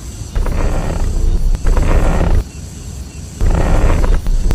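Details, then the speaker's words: Steering wheel turned back and forth gives a rough, low groaning creak in bursts; a shop quoted replacing the steering rack, lower control arm, shocks and an alignment, though it's said a fix costing a few dozen yuan would do. "打方向有异响，明明很好解决，但是你去修理厂，你猜他敢收你多少钱？"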